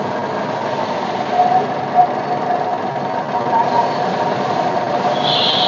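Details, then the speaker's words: Maruti Wagon R petrol engine idling unevenly with small surges after a service, a hunting idle from incorrectly gapped spark plugs (gap disturbed when plugs dropped during fitting); fix is checking and resetting all gaps. "यह हमारी Wegener है और इसमें service के बाद यह problem ए गई है हंटिंग की यह गाड़ी हमारी सर्विस के बाद हंटिंग कर रही है"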